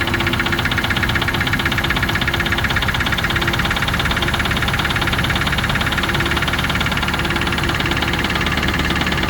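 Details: Range Rover Classic 3.5 V8 at steady idle with a sharp metallic knock ticking evenly about twice a second; clear knock, cause not pinned down.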